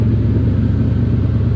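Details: Factory Five Cobra Roadster V8 idling, with its fuel pump energized by a manually wired switch as a temporary fix for stalling after start: steady, even rumble with the pump's faint buzzing underneath; running normally.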